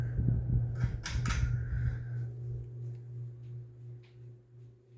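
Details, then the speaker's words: SMC-UB42 ceiling fan, at least three years old: constant low hum with faint higher whine on medium speed; motor has grown noisier lately, cause unknown. "here's high speed it's gotten a little more noisier lately"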